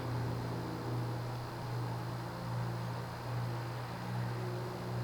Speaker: It has a slight cyclic flux buzz. It's subtle though. I mean, if you had a quiet bedroom, you'd hear it, but it's not as absurdly loud as some other cases.